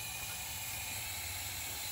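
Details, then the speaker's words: 2005 Ford Super Duty 6.0L diesel with hot no-start, low ICP, P2291, engine off, shop air fed through ICP sensor adapter: steady hard hiss; high pressure oil system air leak, usually at the high-pressure pump fitting. "and you can hear hear that air leaking when this thing is all assembled you can hear air leaking but you don't know where it's coming from 90 of the time it's back here on this uh high pressure pump fitting"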